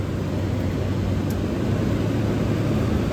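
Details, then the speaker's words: 1978 Comfort Air Quiet Master window air conditioner switched to high fan, condenser dirty and needing cleaning: steady even whoosh with low hum, noticeably louder than the GE Super Thrust, no rattles or scraping; blower running normally. "There it is on high fan. There's the Quiet Master over to high fan. It's a lot louder than the Super Thrust."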